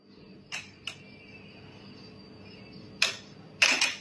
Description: หลังคาเมทัลชีทpu foam มีเสียงดัง